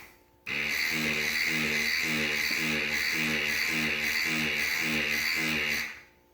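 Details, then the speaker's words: 2008+ Harley ABS brake bleed via ITM HD1 utility while pumping the rear brake continuously: steady high electric buzz with even pulsing, about nine beats in five seconds, then cuts off; normal HCU pump cycling. "Pump the rear brake continuously. I am. Wait for that noise to stop."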